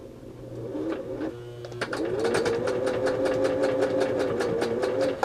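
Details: Fully serviced Singer 638 Touch and Sew with nylon gears showing no cracking, sewing material under pedal control: after a short start the needle settles into an even clatter, about 2.5 stitches a second, over a smooth motor hum; healthy.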